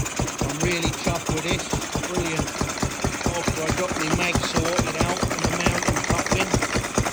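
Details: Ruston 6PS petrol stationary engine running after belt start, magneto remounted further into the drive coupling that had popped out, water cooling fitted; steady, even beat about two firings per second, clean with no misses or knocks.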